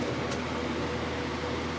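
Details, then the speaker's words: Miller 330 A/BP TIG welder after servicing the cooling fan motor bearings: steady, even fan rush over low mains hum with no rattles, grinding or squeal; much quieter than before the repair. "much quieter no crazy no crazy rattles or anything like [Music] that never heard the machine sound like this wow it's so much quieter"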